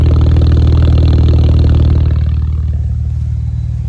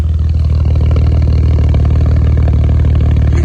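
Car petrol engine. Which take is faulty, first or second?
second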